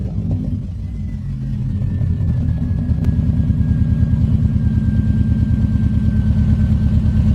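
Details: Engine running on a new exhaust coated with Muffler Weld sealant; deep, rapid puffing about three beats a second with each exhaust stroke over the rumble as the exhaust leaks, the sealant repair having failed.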